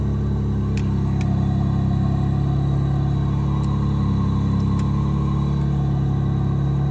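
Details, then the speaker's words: Back-lot van at 121,272 miles, idling with rear air on; rough, uneven puffing about four times a second over the engine drone; a big exhaust leak is suspected from the sound, not confirmed. "So this one has a big exhaust leak from the sounds of it."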